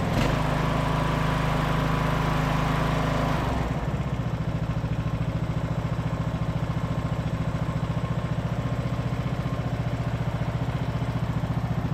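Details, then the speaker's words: Ariens riding mower: starts right up, runs fast, then drops to an even, steady idle without choke; normal start and idle. "started right up like it's supposed to. Goes right down to idle."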